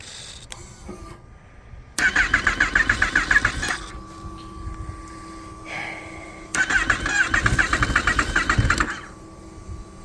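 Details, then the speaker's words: Rebuilt totaled 2018 Kawasaki ZX-10R: engine catches and immediately shoots to a high buzzing rev instead of settling, twice; runaway high idle on startup, throttle position sensor to be checked. "so unfortunately it's still revving way up as soon as I turn it over so I'm going to have to check the throttle position sensor"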